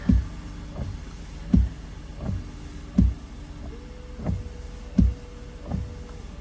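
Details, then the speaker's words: 2015 Ford F150 with engine running, after washer pump fix: short electric whir with regular soft thumps less than a second apart as fluid reaches the jets; washer pump working normally. "we got clean window it makes sense had give time for the fluid to get up to the to the jet yeah so we got fluid y'all"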